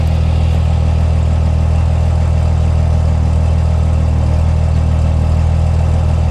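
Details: 6.7 engine at idle: deep, heavy idle with a throbbing, uneven beat about three times a second; clearly rough idle, cause not pinned down.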